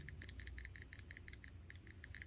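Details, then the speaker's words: Empty example carburetor being shaken: light, quick metallic clicks in loose bursts show the check valve ball moves freely and is not stuck. "you can hear that ball valve clicking around in there, the check valve."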